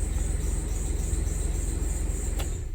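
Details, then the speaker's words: Chevrolet truck idling during scan-tool output tests after a check engine light: a thin, steady high-pitched squeal over the low engine rumble, the accessory belt making an awful lot of noise, likely slipping. "oh the belt is making an awful lot of noise on this thing"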